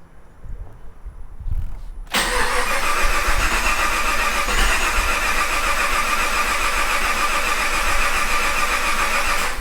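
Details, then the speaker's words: Project Crewman resurrection first start attempt after disabling VATS patches: starter cranks steadily for several seconds with only a brief catch and never runs; cranks but won't start, fuel pump not heard running. Cause suspected, not confirmed. "Okay. It tried to fire. I don't hear the fuel pump running."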